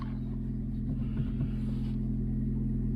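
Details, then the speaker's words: Chevy Spark with chain-driven small four-cylinder: starts on the button, settles into steady even low idle with no misses, knocks, rattles or warning lights; normal idle. "starts up on the button no problems at all nice idle no warning lights"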